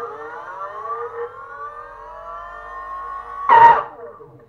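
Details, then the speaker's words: BLDC 6384 140kv motor on e-bike controller after learning-wire sync, hall sensors reconnected: thin wavering whine then a harsh burst; rough running, found not working, so leads to be swapped. "a little bit rough there I'm not sure if it's okay doesn't look like doesn't sound it's okay let's see"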